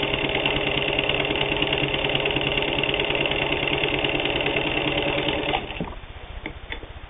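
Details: Singer 15-91 WWII-era all-steel sewing machine, can-type internal motor with worm gear drive, sewing thick layered denim: fast even needle chatter about three stitches a second, steady, then slowing to a stop; normal running.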